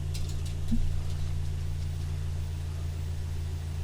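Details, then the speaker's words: Toyota Yaris after a 1ZZ throttle body swap, one month on, parked at 0 mph: steady even low hum holding one speed with no dips or hunting; normal idle. "yeah so yeah um so that's what it's reading that's the rpm that it's holding at right now"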